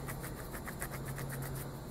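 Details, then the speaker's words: Align BL650L RC helicopter brushless motor bearing removed and spun by hand; loose, gritty rumble with faint irregular ticking, rough and worn; rough bearing, likely the cause of the vibration, to be replaced. "highly likely that's where my vibration is so that's going to get replaced and that'll be the end of that drama"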